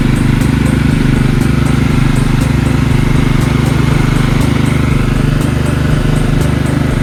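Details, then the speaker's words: Marching band hauler small engine after repair, before test drive; steady even low putter about 3.5 beats a second, no misses or stumbles, no fuel leaks, purring like a kitten; normal running. "so far so good everything seems to be good engine's purring like a kitten now no fuel leaks"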